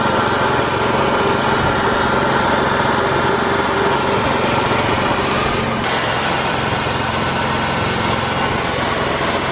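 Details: 2000 Ford Mustang V6 (New Edge) idling smoothly and evenly, steady hum with no knock or misfire; owner says a ticking comes from transmission/clutch.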